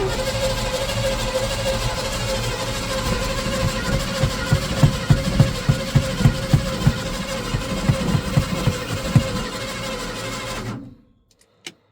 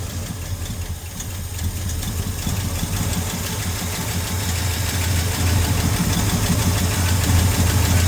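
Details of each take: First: 1971 Ford F-100 after years sitting, hot battery and fuel in the carb: steady, even starter cranking about three pulses per second that never catches. Spins freely but no spark because the ignition coil was wired backwards. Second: 1971 Ford F-100 V8 after sitting for years, running on gas bottle feeding the carb: fires right over into steady even burble that firms slightly as it warms; healthy idle, fuel system still needs sorting.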